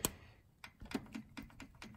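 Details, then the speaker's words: Honda S2000 F20C/F22C DOHC VTEC, engine off during valve adjustment for misfire: rocker rocked by hand with cam lobe away gives faint light ticks, showing the valve has proper lash. "but what you're supposed to have is a little bit of clearance on these adjusters here and if I go over here you should be able to audibly hear the clearance since technically this isn't under load the lobe is sitting over here"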